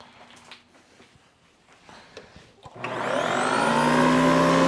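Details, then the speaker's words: Hoover Decade 80 convertible upright vacuum after repair: quiet start, motor spins up with a rising whine and settles into an even steady roar; runs normally, expected to improve with use. "oh that sounds good not the best but it's good enough uh that'll probably get better with a little bit of use"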